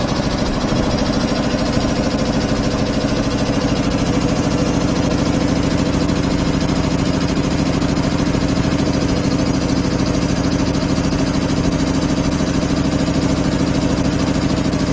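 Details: 25 hp air compressor on single phase through a 25 kVA transformer, just started and pumping up (unloads about 145–150 psi, reloads about 115): heavy, even thumping at a steady beat, no knocks or misses; normal loaded running.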